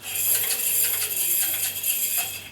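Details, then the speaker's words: Washing machine drum turned by hand: thin metallic scraping and squeaking from a bra wire deliberately lodged between inner and outer drum, usually catching around the heating element; foreign object scraping. "next we're going to have a look at a drum which is got an item stuck in it and I'll show you I've actually placed these items in the machine so you can actually hear what it sounds like you can hear a scraping"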